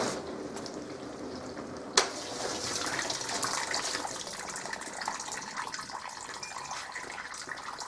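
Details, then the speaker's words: Zanussi ZDT5152 dishwasher after repair of a low hum at startup. After a click, water swishes and splashes steadily over a soft pump hum as the circulation pump and spray arms work; the normal wash cycle before heating. "слышно как включилась циркуляционная папа так обладая это большом кругу кладу их слышно да как она стала пить у нас именно брызговики раскидывать воду"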